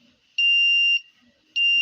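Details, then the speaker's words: 555 timer in astable mode with a 10 µF capacitor, 1 kΩ resistors and a battery-powered buzzer: clean high beep of about half a second, repeating roughly every 1.2 seconds in a steady on-off pattern; circuit working properly. "I'm sure you can hear it. It's sounding intermittently. That's the timer at work there."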